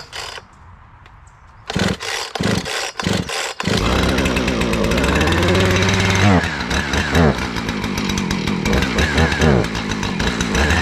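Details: Two-stroke chainsaw after replacing a rotted fuel line: after a few pulls it fires and revs up cleanly, holding a steady buzzing run with throttle blips; normal running.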